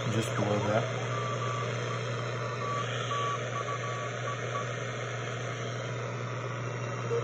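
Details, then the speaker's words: Telefunken Jubilate receiver on the 80 m CW band with a newly built internal BFO powered from the 7 VAC dial lamp through a rectifier, loosely coupled to the antenna: steady hum, clean keyed Morse beat notes, stable; BFO working normally. "this is my telefunka Jubilee and we're in the 80 meter code band here you can you can hear the CW there we go"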